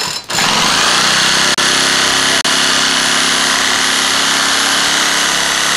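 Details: A two-stroke trimmer that sat six months in freezing Utah weather would not start by pull cord; the owner blames the carburetor gaskets, seals and diaphragm. It was started by spinning it with a reversible drill and keyless chuck, then runs high and buzzy at steady speed with a couple of brief dropouts. Normal running.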